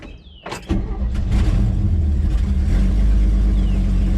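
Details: 1965 Chevrolet C10 with an inline-six, on a cold start without pumping the pedal after a four-degree timing change; its complaint is no power over 2500 rpm. Short crank, catches within a second, then settles into a steady, even low rumble. Normal cold start.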